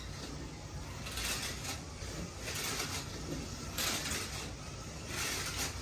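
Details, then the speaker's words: Rattle-pan chassis slot car at 10 volts, clean tires, running laps at full throttle: buzzing motor whine with a rattle swelling each lap; rattle pan expected, but owner suspects mostly the front axle. "That noise you're hearing is the rattle pan, as expected, but I think it's mostly that front axle."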